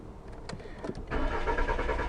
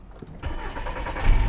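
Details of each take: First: 2000 VW Jetta that stalls and then won't start for up to an hour: the starter cranks steadily with no firing, no RPM reading and code Second: 2000 Volkswagen Jetta with intermittent stalling and no-start, started with crank sensor and scope connected; now showing the crank sensor signal missing before: short crank, then catches and settles into a steady low idle within a second, starts cleanly.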